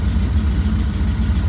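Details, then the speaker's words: 1967 VW Type 3 Squareback, warmed up, after idle and mixture screw adjustment and synchronizing both carburetors: steady even low thrum at 750-800 rpm idle, no stumbles or hunting, no throttle; normal warm idle, slight adjustment still needed. "so the engine's already pretty warmed up and it's idling just around 750 800 give or take so there still needs a little bit more adjustment but at least it's uh it's holding up all right"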